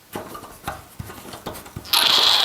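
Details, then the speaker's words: Central heating radiator being drained to add inhibitor: a few handling clicks, then a sudden steady high hiss as air is sucked in at the opened bleed valve, breaking the vacuum so the water drains faster; normal. "what we need to do is undo the bleed valve again and if I move my microphone you'll probably hear it hiss as it sucks in air as the water dissipates into the Container"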